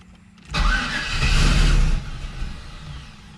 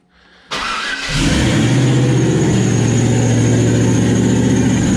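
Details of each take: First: Turbo LS V8 Camaro, first start with rigged oil feed and return, intake on, no cold side yet: engine fires, runs about a second and a half, then dies; starts but won't keep running, cause unconfirmed. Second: Turbo LS V8 Camaro at its first start after the turbo was mounted (no cold side yet, oil feed and return hooked up, throttle zip-tied temporarily): fires quickly, then runs loud, steady and even with a thin turbo whistle. Normal running; some smoke from spilled oil burning off the headers.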